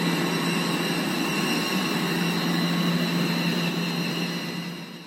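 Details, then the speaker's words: Blower with a slack V-belt, low tension, visibly flapping, black belt dust around: steady whirring run with a constant thin squeal on top; the V-belt is slipping on the pulley. "좀 벨트가 미끄러지는 소리가 좀 들리죠 복은 소리 예 별 좀 미끄러진 소리 좀 들리 그죠"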